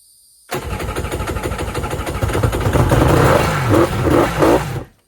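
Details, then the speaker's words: Kawasaki 1100 jet ski with low-compression center cylinder, fresh fuel added and petcock on: long crank with ragged firing building briefly then dying; tries to run on its own fuel. "Well, ran off its own fuel. I'm going to attempt to crank it a couple more times before I take it to the lake and put it in the water."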